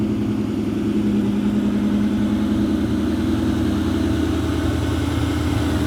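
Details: 2003 Ford Mustang SVT Cobra Terminator V8 after NGK TR6 plugs replaced over WOT issues; even steady idle burble with faint whine, occasional bloop, no misses or leaks, idle as before. Normal idle.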